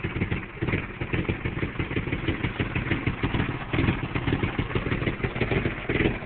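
Uneven idle with irregular clattering pulses around two per second and a surging level that never settles, a rough idle. Cause suspected, not confirmed.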